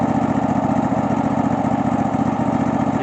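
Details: Cub Cadet LX46 XT2 mower, Chinese 679 fuel-injected V-twin, running after bypassing faulty start/stop module that grounded the kill wire: even, steady chug with regular firing pulses, no misses or stumbles; normal running.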